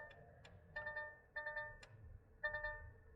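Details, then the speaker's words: DAF XF truck: short two-tone dash chimes repeat irregularly as the wiring harness to the EBS ECU is moved; VCAN 2 CAN high and low wires found cut and bared, setting off dash warnings. "So there's something wrong with the wiring here. So we'll better investigate this, see what's going on with this wiring harness."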